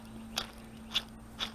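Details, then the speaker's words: 1978 Toyota pickup/Hilux, old clutch throw-out bearing removed with transmission out before new clutch install, turned by hand: three dry gritty crunches under a second apart; it should make no noise at all, so the release bearing is worn. "That's bad. Not supposed to make any noise at all. As compared to my video the other day where I said it might make a little noise. No, when they're working right, they don't make any noise at all."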